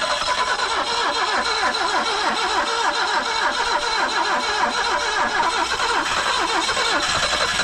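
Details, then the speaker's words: 1974 BMW 2002 just started after sitting over 30 years, running on 30-year-old gas: engine stumbles and surges with uneven, misfiring pulses, barely holding idle; rough running, cause suspected, not confirmed. "no way she going to run on that old ass [Laughter]"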